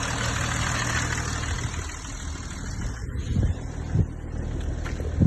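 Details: BMW M550d diesel idling: low, uneven thuds about every second over a rough rumble; suspected turbo failure or engine damage, cause unconfirmed.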